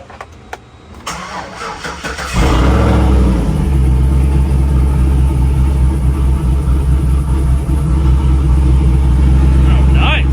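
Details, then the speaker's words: 2008 Chevrolet Silverado V8 with stock exhaust manifolds, a new Y-pipe and catalytic converter assembly and a welded 3-inch exhaust with chambered muffler, raised in the air; cranks, catches and settles into a deep, even rumble with no leaks at manifold or Y-pipe joints. "all right so check for leaks no leaks around the mating surfaces to the manifold to the wipipe it's sounding great I'm super happy with that"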